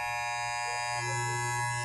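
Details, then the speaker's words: Wahl hair clipper, which runs normally without a guard, fitted with a guard comb: loud, harsh, steady buzz, then cuts off; the moving blade strikes the guard comb, the noise persisting across different guards. "ahora pongo una peineta y ocurre lo siguiente [Risas] empiece a emitir un sonido fuerte cambio de peineta y ocurre lo siguiente"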